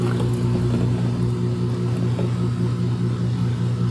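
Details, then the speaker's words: Maytag MHW5500FW1 front-load washer that showed the E01 F09 failure-to-drain error, after replacing the drain pump motor: on a test cycle the pump gives a steady low hum and even whir with no rattle or grinding, draining normally. "Hear that beautiful drain pump running? I think we're back in business, guys."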